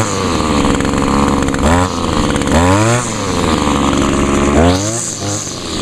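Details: Older Echo SRM 2201 trimmer, 21.2cc two-stroke, choke-started with primer bulb under the carburetor. Idles evenly and revs up and back down cleanly several times without bogging: normal two-stroke running, healthy.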